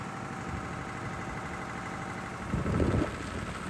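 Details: Air-cooled 109.5HP Lister diesel farm backup generator (thought to be about 100kVA), monthly check start, heard from a distance: even low thrum at steady speed, no misses or knocks; normal healthy settled running.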